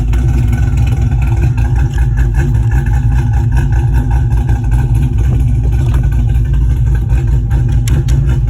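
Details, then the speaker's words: Pontiac GTO after fuel fix, old pump reinstalled through the regulator, 50 psi fuel pressure, about 10 minutes running: deep steady idle, even rumble, no stumbles or surging; normal idle, previously shut off after 5–10 minutes. "okay got the gto idling in the background and i'm just going to come back in here so i don't like a silhouette but it's been running for about 10 minutes so far"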